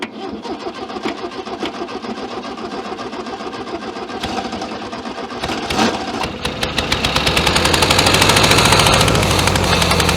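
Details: 1966 VW Beetle not started in over 10 years: steady cranking, then lumpy uneven run building revs but never smoothing; misfire, like a dead cylinder.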